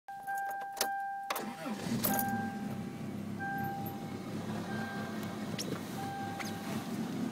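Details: 1993 Toyota Corolla cold start at 7 degrees; cranks, catches and idles unevenly and lumpy with a chime on and off; no check engine light, only below freezing, milder on 93 octane, clears after 45 seconds.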